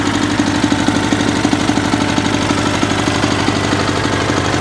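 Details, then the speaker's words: Sears SS/16 tractor with a newer V-twin engine, owned about a year: steady idle with a regular dull tapping around ninety per minute; owner unsure whether it is normal or a rod knock, possibly bottom end. "so uh if you guys could weigh in on that sound that the owner engine is making is that normal for a bfms is that a rodnock i really don't know"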